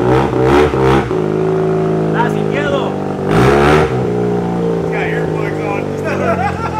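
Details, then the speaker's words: Mazda RX7 rotary engine on a dyno during a pull: screams up through the pull with a clean, even buzz, no misses or rattles; healthy under load. "That sounds good. Sounds healthy. That's for sure."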